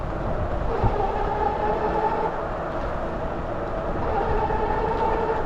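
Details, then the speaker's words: E-bike with Bafang G60 and G62 geared hub motors at 72V on a Cycle Analyst 3 dual-motor setup, 26x4 fat tires, riding: soft even whir under wind and tyre roar, no pulsing wow-wow it used to make; normal quiet geared hub motor. "still a geared hub motor, it makes some noise, but compared to that noise it used to make, that was a really annoying noise."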